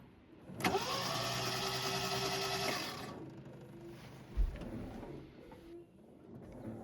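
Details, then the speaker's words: 1971 MGB sat about 20 years behind a barn, good battery: starter churns unevenly about two and a half seconds, never fires; compression test shows low compression, one cylinder very bad even with oil, head gasket suspected. "we compression tested it it's got low compression and one cylinder really bad even after adding some oil and stuff"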